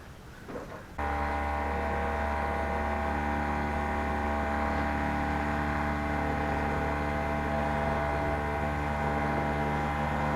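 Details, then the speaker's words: 12-volt tank sprayer pump powered from a riding mower, after a no-power problem was fixed: it switches on with a steady buzzing hum and even pulsing but never loads up, running without drawing water from the tank; diaphragm looks okay, suspected no suction, cause unconfirmed. "And the sprayer does not work. Guess we'll try a couple quick checks here and see what's going on."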